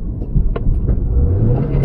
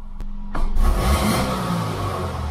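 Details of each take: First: 2006 Subaru Impreza 2.5L single cam wagon, driven about 7.3 miles after head gasket job and battery disconnect: revs hang flat then climb suddenly, sluggish pickup; found to be a dirty MAF sensor. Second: 2006 Subaru Impreza 2.5L single cam after cleaning the dirty MAF sensor, parked not in gear: engine blips up cleanly and settles back without hesitation; response much better.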